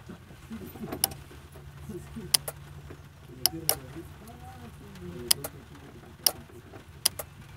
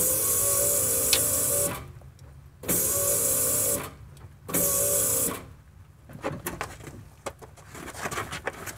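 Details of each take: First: Non-starting 250 pickup truck, key cycled on and off with the mic on top of the relay box: sharp relay clicks, about seven in eight seconds, with no fuel pump hum after them; pump not priming. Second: Truck fuel pump priming at key-on, microphone near the fuel tank: steady high whir for about two seconds each time the switch is turned on, then stops; fuel pump working normally.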